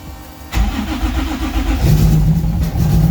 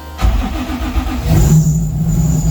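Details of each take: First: 1995 Nissan 240SX with built 2JZ-GE (non-VVTi block, VVTi head, BC276 cams, aluminum rods) on its first start after the build: rough, lumpy, stumbling idle, dead on a cylinder, because the coils were wired backwards and the firing order was wrong. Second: 1995 Nissan 240SX with built 2JZ-GE (non-VVTi block, VVTi head, aluminum rods) after the reversed coil wiring was corrected to the 1-5-3-6-2-4 firing order: a short crank catches and settles into a steady, even, smooth idle with a low hum.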